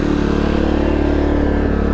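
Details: Dual-fuel generator on propane with its battery disconnected, after priming the demand regulator: steady, even drone with a constant low hum and no misses or knocks; it runs smoothly on propane.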